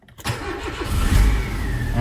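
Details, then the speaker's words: Nissan Primera with immobiliser fault (immobiliser light flashing, no crank, codes P1610/P1612) on a cold day, started after feeding power to the fuse 10 feed line: brief crank, then it catches cleanly and settles into a steady low run; both keys start. "دورت السيارة الحمد لله. نجرب المفتاح الثاني. كمان دورت."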